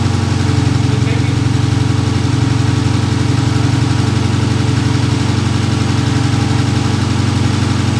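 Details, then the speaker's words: Dodge Challenger V6 after new spark plugs fixed a cylinder 1 misfire: low, smooth, even idle with no stumble or shake; no longer vibrating, all cylinders firing normally after repair. "Papá, el carro de Javi quedó otra vez como estaba antes. Ya no está vibrando, ya no tiene frío,"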